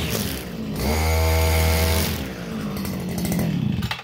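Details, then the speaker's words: Stihl FS230 brushcutter, warmed up, cutting grass in a stall test: strong, steady two-stroke howl holding revs under load without bogging or stalling; healthy, normal running under load. "Okay, so that's a no stall on the grass."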